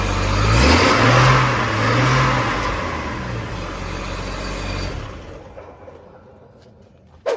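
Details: 2004 Chevrolet Trailblazer inline six after fuel filter replacement (old one installed backwards) and priming: fires right away, revs cleanly, eases off without stumbling; normal start.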